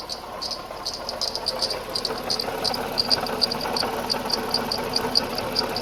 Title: Leaking Water Pump whistling sound - Toyota Highlander